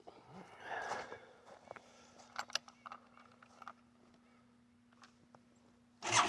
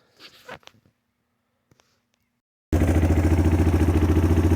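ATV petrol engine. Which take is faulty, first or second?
first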